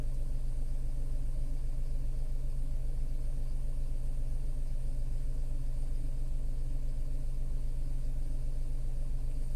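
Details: Tata Altroz naturally aspirated petrol, around 12,138 km: steady low rumble at idle, firing pulses perfectly even with no ticks or knocks; smooth healthy idle.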